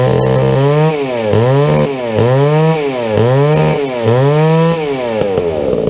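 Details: Old McCulloch 797 123cc chainsaw that sat unfired for years, running on a foo bar fuel system with an added filter after a few issues were sorted; crisp two-stroke revving up and down about once a second, clean with no bogging, healthy.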